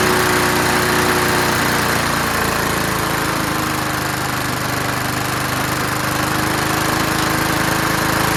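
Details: Curbside-found Snapper Hi-Vac push mower now running on its own. The throttle lever hits the ground at about 2/3, so it revs high. Fast, steady single-cylinder buzz, slightly shaky. Running, high idle speed.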